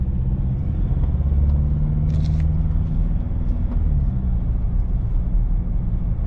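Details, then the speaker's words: Car at 40–50 km/h with wheelbarrow strapped on roof, straps given half a twist: only low steady road and engine rumble, no humming or buzzing from the straps; strap noise and vibration almost completely eliminated. "we hit the 40 mark 50 mark and absolutely no noise whatsoever it's whisper quiet and i can't even tell that i've got a wheelbarrow on top"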